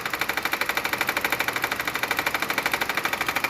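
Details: Hyundai Creta 1.6 at idle with the A/C off: a steady, rapid pulsing knock of about eight beats a second, felt pulsing by hand; it stops when the A/C is switched on. The A/C also stopped cooling at low rpm.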